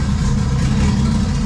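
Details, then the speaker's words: BMW E46 M3 with swapped junkyard 2JZ non-VVTi inline six, hand-machined build, first start on open downpipe, still cold: loud, deep, even burble at steady idle, no misses or knocks, no smoke; idle may need adjusting, running cleanly. "hell yeah probably going to have to change the idle a little"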